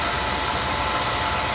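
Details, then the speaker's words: Oil boiler burner that ran out of oil, chimney draft checked: steady, even flame roar over a low rumble, no puffing or sputter; normal burner operation. "he's rocking and rolling [Applause] y a little crusty looking but she's working oh"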